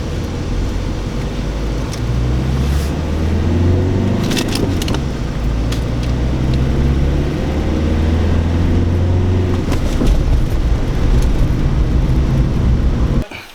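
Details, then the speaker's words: Renault Clio Mk3 driving after rear brake and wheel bearing replacement: smooth, even engine and road rumble rising gently with speed, no growl or grinding from the rear; bearing now quiet and healthy. "before quit protests and that sounds absolutely fantastic"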